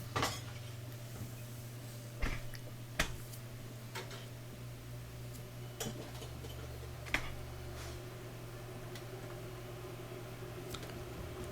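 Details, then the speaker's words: Bosch dishwasher after clearing an object jammed in the drain impeller housing: steady low drain pump hum with a few light clicks and water gurgling in the air gap; draining normally again. "Turn it off, turn it back on, and then when you close it, you can hear it's now draining. This is the air gap, and you can hear the water gurgling in there."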